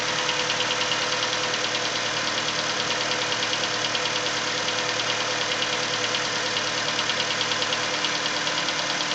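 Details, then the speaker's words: Nissan Versa petrol engine idling cold: sharp, regular tapping a bit over two taps a second, louder as revs drop, apparently from the cylinder 3 area, lasting the first 10–15 minutes until warm; engine tapping or knocking at idle. "As the revs come down, you can hear the tap become more prominent. You can hear it plain as day now."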